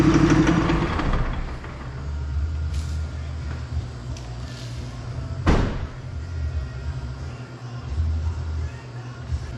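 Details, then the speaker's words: 3rd-gen diesel with new BD Diesel 90 hp injectors at idle: rough, uneven knocking clatter over a low rumble, about three a second, white smoke. Owner suspects overfueling; all injectors being returned. "So I go fire it up and right away it's running, knocking like crazy, smoking white."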